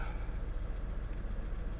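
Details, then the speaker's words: Copart-bought Mercedes donor car at idle, running rougher than when tried at Copart: low, quiet idle with lumpy, uneven pulses and dropped beats, several cylinders misfiring. "this does not run as well as it did when I tried it at Copart"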